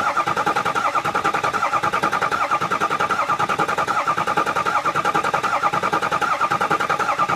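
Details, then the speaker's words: Ford 6.0 Powerstroke diesel after EGR cooler and oil cooler install, cranking to prime: steady starter whine with even rhythmic pulse, about 77 per minute; noise present because there is no oil pressure yet. "And also, as I'm cranking, listen. You hear a inside. And that's cuz it doesn't have oil pressure."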